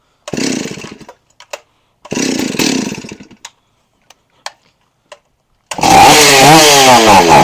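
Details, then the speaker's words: Stihl 038 Magnum chainsaw started on a shot of fuel squirted into the cylinder. Two short bursts die within a second, then a brief roar: it runs only on the cylinder prime, fuel starvation, with the carburettor due for cleaning. "yeah it's only running off of what what feel I put in the cylinder I can tell so he's definitely got some issues here"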